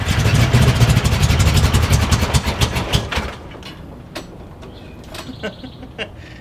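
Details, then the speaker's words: Long-sitting Jeep Cherokee Chief, first crank, oil pressure showing, fuel gauge near empty: starter churns steadily about three and a half turns a second, never catches; cranks but no start from fuel starvation. "the gas gauge is working. It's saying it's about empty. Might ought to put some fuel in it."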